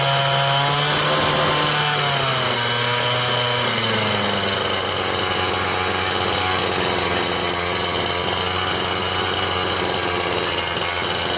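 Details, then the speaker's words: Ryobi 410r 31cc rototiller with misrouted fuel lines: a high, wavering two-stroke buzz that only keeps running on choke; runs only on choke because of misrouted fuel lines. "thanks to Ken's small engines and James condoned for telling me that I messed up the fuel lines as usual"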